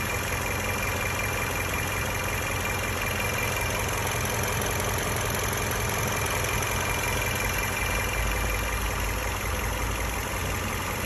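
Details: Toyota Camry AXVH71L petrol engine idling with an uneven, stumbling low thrum and vibration; misfire at idle with check engine light, addressed by changing spark plugs and cleaning injectors and throttle body.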